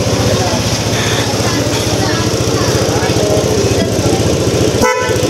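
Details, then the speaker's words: Both new cheap Shopee replacement horns (dual-horn setup) installed and tested: clear, steady horn tone over a running engine and street noise; sounds strong and healthy, good enough. "diba? Pwede na. Pwede na. Para sa 114, pwede na yan."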